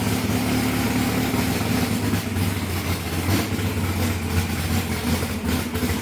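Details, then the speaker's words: Larry Bullock's drag Camaro V8 started for the first time in about 8 years after priming and checking for oil pressure and leaks; a deep, even rumble holds a steady idle with no misses, knocks or hunting. "AFTER 8 YEARS, THE BEAST IS AWAKENED. RIGHT, LARRY?"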